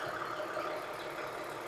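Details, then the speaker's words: 2009 Toyota Highlander, about 276,400 miles, idling 5–10 minutes after new spark plugs and O2 sensor replaced for cylinder 2 misfire: quiet, even engine-bay hiss with soft whirr, no misses or knocking; idles smoothly. "but I had this running for maybe 5-10 minutes. It's running nice and smooth."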